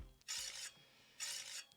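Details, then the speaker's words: Chinese carbon all-road bike with 1.86 mm rotors (thicker than 1.8 mm Shimano standard), wheel spun: light rhythmic high hissy scraping; disc brake rotor rubbing pads despite re-truing rotors and resetting pistons. "I mean, it's not like a massive problem, but it was really annoying, so I had a lot disc brake rub."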